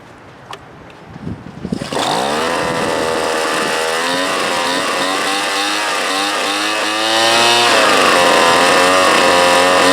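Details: Craftsman leaf blower after its broken starter rope is replaced with heavier-gauge cord; catches after a couple of pulls, then settles to a steady high buzz with smooth rev changes, running normally.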